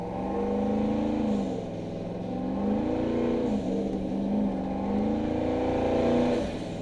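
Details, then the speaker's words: Turbo truck at part throttle in second gear, cold weather: the engine pitch swells and falls with a quick fluttering chuff over it, the turbos surging constantly. "Lots of power though, part throttle. You can hear a compressor surge constantly."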